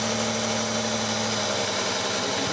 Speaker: you take the middle one there's no change in the engine go back to the back one you can hear the change in the engine back to the Miss there's no change even when we take it completely out so this one is our problem